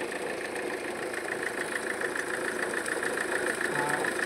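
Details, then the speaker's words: Mahindra XUV500 diesel idling in neutral: steady fast rattle about three beats a second vibrating the whole front; belt appears cut, broken belt tensioner found. "घर घर घर घर कर रही है पूरा तो इसका चेक करते हैं क्या है कौन सा बेयरिंग गया है या टेंशनर गया है"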